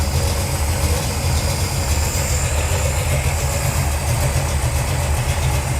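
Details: 1978 Dodge D200 drag truck, 451 big block Mopar V8, first cold start on a new Edelbrock VRS 850 carburetor at out-of-box settings: deep, steady burble with no knocks or misses; idle a little slow, float levels a little high, but idling normally.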